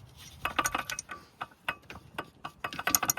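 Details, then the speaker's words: SX/4 with AC pump removed, engine off: a misaligned accessory pulley turned by hand gives irregular sharp ratcheting clicks, about three a second; it should not click and is out of alignment. "should not be making that noise, and it's also way out of whack."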